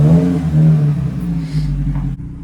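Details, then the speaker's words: Nissan Micra K12 with 109,000 miles, rear silencer (back box) removed leaving only the flange, new back box to be fitted: deep raw booming blare on each throttle blip, far too loud and bassy; loud exhaust from missing rear silencer. "As you can hear, it's completely missing a back box because I took it off. All that's left on is the flange."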